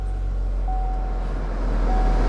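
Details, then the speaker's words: Hail-damaged salvage auction car with 58,000 miles showing change-oil-soon: fires right up into an even, steady low idle with no ticks, misses or knocks; goes right into gear. "And it fired right up."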